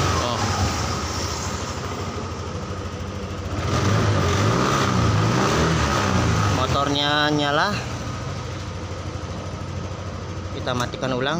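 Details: Yamaha NMAX 155 that had stalled and would not start, running on a temporary test battery: steady, even idle with one short rise in revs and nothing irregular. Starts and runs normally.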